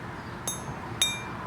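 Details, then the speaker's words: Modified no-name axe head, cut and ground into a smaller axe head plus a hammer/pickaroon piece, tapped after the work: two light taps each give a bright high ring fading quickly; still rings, slightly different with less metal, temper kept. "A little bit of a, still has a ring to it. Expect it to be a little different because it's not as much metal. Sounds good to me."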